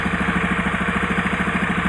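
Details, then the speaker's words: Honda Beat carburetor scooter brought in with abnormal ignition and white smoke: steady idle with a quick, light ticking of about ten per second over the engine note, heard more clearly at one spot; cause unknown. "untuk suara mesin ada suara ngeteng-ngetek-ngetek bisa"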